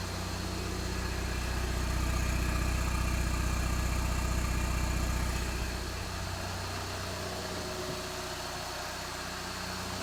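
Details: VW TDI diesel after an emissions delete with a new downpipe and band clamps, brief run in a garage to check the sound and leaks: steady even diesel clatter at idle with a deep exhaust hum that eases slightly; healthy idle.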